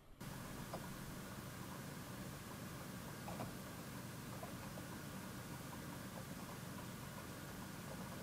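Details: Home 100TB server after replacing stock fans and heatsink with PWM Noctua fans, BIOS standard/normal profile: soft even airflow hush, no whine or ticking; quiet, normal.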